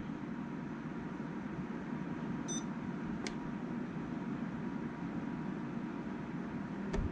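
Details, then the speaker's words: Buffalo TeraStation TS3400 with no boot image: after the two-minute error noise, function button held about three seconds gives one short high beep over room hum, confirming boot-partition recovery is starting. "press and hold the function button for like three seconds you'll hear it beep and then the recovery process starts"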